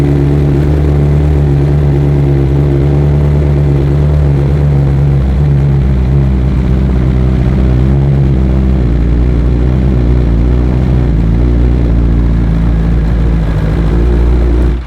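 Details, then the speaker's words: 2023 BMW S 1000 RR on stock cold-start map before flashing: high busy idle, slightly missing with odd uneven beat and air noise, revs dropping noticeably about six seconds in. "All right, so you can see it has a pretty high idle. It was missing a little bit. You can hear some air in there, and then it starts to slow down."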